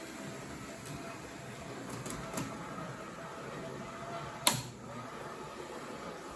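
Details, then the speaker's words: O scale NWSL Stanton drive (central can motor, worm gears to each axle), after motor break-in, bushing deburring and axle adjustment, running at 6 volts analog: soft even whirr, few light clicks, much quieter than before. Smooth quiet running. "This would be at 6 volts. [Applause] Much quieter."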